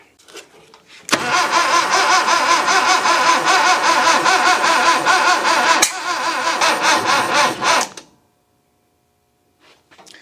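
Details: 1966 Datsun 520 farm truck abandoned for 40 years, start attempt with a little starting fluid. Steady, even cranking at about two and a half turns a second for roughly seven seconds, never firing; starter works.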